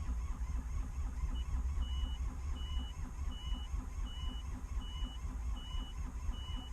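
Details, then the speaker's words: Takeuchi TB135 with a weak battery after a 20-second glow plug cycle, cranking too slowly and not firing; short high beeps about every three-quarters of a second over a low rumble; low battery warning. "down ah it won't flare I'm going to have to jump it batter's beeping"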